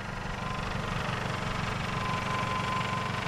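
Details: 1996 Toyota Camry after timing belt and water pump replacement, warming up with the thermostat not yet open. It idles smoothly and much quieter, with the old water pump clatter gone.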